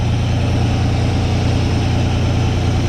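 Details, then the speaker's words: 1985 Chevy C10 just fired up with new custom exhaust, camera by the tailpipe, no coolant circulating: deep steady idle with even beat, no ticking or puffing, a little louder than wanted. Normal idle, no exhaust leaks. "you can kind of hear it back there but a little louder than I want it to be but it'll be okay"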